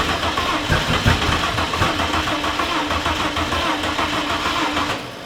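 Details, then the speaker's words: Engine under compression test, one cylinder failing to reach even 50 psi: uneven churning crank with soft, lopsided beats; low compression, engine declared dead. "so number five has nothing go again yeah 130 135 that was a little bit lower okay again 110."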